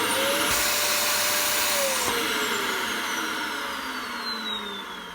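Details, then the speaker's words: Dyson DC25 upright vacuum used to suck up plaster: high motor whine whose tone changes almost instantly, pitch sagging as the pressure relief valve opens because the airway/pipe is blocked. "so almost instantly you can hear the tone changes and that's the pressure relief valve coming on it's in here somewhere it's blocked simple as that"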